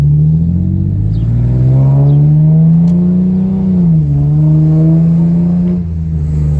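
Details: Infiniti G37 while driving with the windows down: loud engine drone rising and falling with revs, with a quick puffing tick on the firing beat. It is a leaking exhaust joint, to be sealed with Ultra Black gasket maker.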